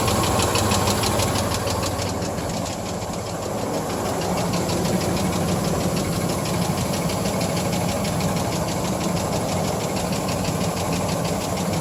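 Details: 1997 GMC Jimmy at idle: sharp, fairly even knock about three times a second over steady idle, started after driving through a puddle in a rainstorm; cause unknown.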